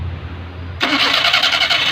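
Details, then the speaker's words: Maruti Suzuki 800, old carburettor engine: when starting, a harsh gritty grinding rasp with fast rattly pulses from the starter area, intermittent, sometimes starts fine; starter grinding on flywheel ring gear. "Start ചെയ്യുമ്പോൾ സ്റ്റാർട്ടറിൻ്റെ ഭാഗത്തു നിന്ന് ഒരു ക്രിറാന്നുള്ളൊരു സൗണ്ടാണ്. ഇപ്പോൾ നമുക്ക് ചിലപ്പോൾ വണ്ടി സ്റ്റാർട്ടാവും, ചിലപ്പോഴാണ് ആ സൗണ്ട് കേൾക്കുന്നത്."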